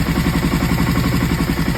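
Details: Aprilia ETV1000 Caponord V-twin running rough and choppy at about eight pulses a second with missing strokes: misfire caused by front cam one tooth off timing.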